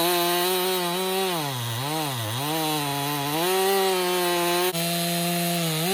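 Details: 2018 Stihl MS261 M-Tronic construction saw, complaint hard starting and bogging when hot, after swapping bar and chain: high steady engine note dips under cut and recovers without stumbling; problem not replicated; normal cutting under load.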